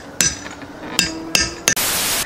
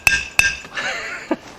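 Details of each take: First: 1971 VW Karmann Ghia front disc brake and drop spindle upgrade, tapping a hub bearing race in with a slightly smaller socket: four sharp hammer blows with a dull, hollow ring rather than a light tink; the race is not yet fully seated. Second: 1971 VW Karmann Ghia front disc brake and drop spindle upgrade, tapping the second hub bearing race in with a socket: sharp hammer strikes ring with a clear high-pitched tink, the tone change showing the race has bottomed out, fully seated.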